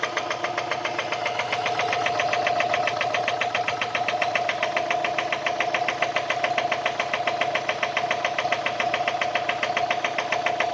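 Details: Subaru EJ204 engine at idle: a sharp, even metallic knock at about three and a half per second. Teardown showed a spun rod bearing on cylinder one.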